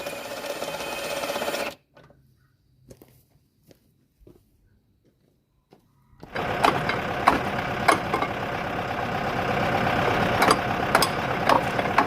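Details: Boat engine bought for a 1967 Mustang fastback budget build fires up briefly, stops, then restarts with sharp metallic knocks over the run; internal knock, cause not pinned down, owner thinks it's junk.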